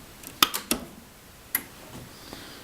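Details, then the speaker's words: Outback Radian 8kW inverter on bench test, fed 48 V DC from a power supply: three quick relay clicks, another a second later, then a faint hum; normal inverter startup. "You hear that hum as it starts, and if you look right here, you'll see that it's producing, says it's producing 242 volts alternating current."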